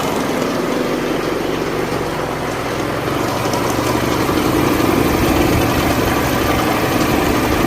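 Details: 2004 PT Cruiser 2.4 at idle with a loud busy mechanical clatter of about three beats a second; owner hopes the tensioner has failed.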